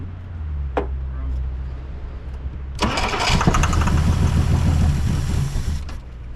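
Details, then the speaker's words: 1963 Plymouth Belvedere, sat since 1978, first start on choke after about ten tries before fuel tank hookup: starter grinds, engine catches about three seconds in and runs with an uneven, stumbling beat; rough running. "Look at that guy, she's running. She's running a little bit rough, but"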